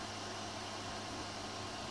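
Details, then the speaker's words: Rostock Max v2 3D printer after print, hot end cooling around 51 °C: smooth constant whoosh of small fan, no buzz or clicking, steady speed; normal cooling fan. "So that peak fan seems to do a really good job of dissipating heat up there."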